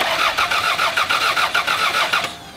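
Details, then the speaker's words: Crank-no-start after battery charged, distributor cap off: steady starter cranking about five beats a second, even compression, never fires; rotor spins so timing belt intact, likely distributor failed internally (electronic), no spark. "now we know that the thing is spinning, so the timing belt's not broken."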